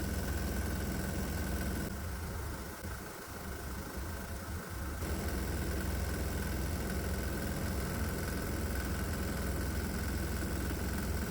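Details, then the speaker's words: 196cc 3hp single-cylinder diesel with four vaporizers feeding alcohol vapor into intake: steady low thump around 160 beats a minute with hard knocking edge, knock getting louder; cause not pinned down. "Well, so far so good. The knocking sound's getting a bit louder, which is interesting."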